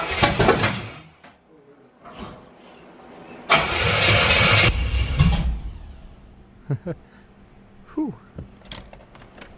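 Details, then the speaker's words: C4 Corvette V8, first start after carburettor swap on open headers: cranking, then a loud rough whoosh for about a second as it backfires through the carburettor; ignition timing too far advanced, to be retarded by rotating distributor clockwise. "Okay, so good news. She's turning over. No fuel leaks. A little bit of a backfire through the carburetor, which can happen. So we're going to rotate it clockwise, take some timing out."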